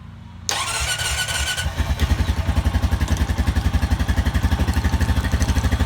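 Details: Honda Rancher 420 ATV with winch, tested after replacing the dead original battery with an AGM battery: brief crank, catches at once, settles into a steady even thumping idle; starts and runs healthy.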